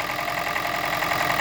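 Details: Toyota Prius 20, 1NZ-FXE petrol engine that knocks and burns oil, at idle: steady idle with a light repeating tap; internal knock, cause not yet confirmed, engine to be disassembled.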